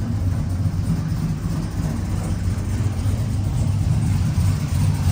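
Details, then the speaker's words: 1999-2006 Chevy Silverado/GMC Sierra V8 just after Flashark long-tube stainless headers and cold air intake install, first start at idle; deep slightly lumpy burble, crisper with the cam singing, not obnoxious, no ticks or exhaust leaks; idling around 15.4-15.5 air-fuel ratio; healthy. "It sounds so much more crisp. Listen to that. You can hear that cam sing. And it's not obnoxious. It's not obnoxious at all."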